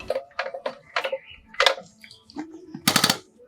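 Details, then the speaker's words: Old Thwaites dumper diesel injector after fitting a new nozzle, crisp quick popping chatter ending in a tight buzz, clean correct spray; old nozzles were completely worn. "Oh, my God, what a difference. Yeah. Okay, this is good. That spray is what it should be."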